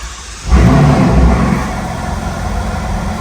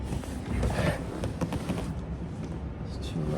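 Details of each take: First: Ferrari California T rough, uneven lumpy idle with wavering loudness right after starting, which then calms down; it would only start once the headlight was disconnected, an electrical quirk the owner finds strange. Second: Ferrari California T after immobilizer issue was fixed: quiet for a few seconds, then the engine catches at once and flares to a strong, clean rev; a healthy start.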